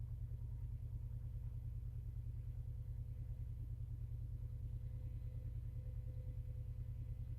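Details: Cold Subaru EJ201 idle with a steady churning pulse about two or three times a second and a faint thin tone, like a blender or washing machine; caused by a broken power steering pump.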